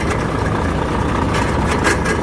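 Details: Volvo FH13 truck at idle: rough grinding with scattered uneven knocks, scrapes and squeaks from the front of the engine; failed, broken fan clutch (viscous coupling) hub bearing.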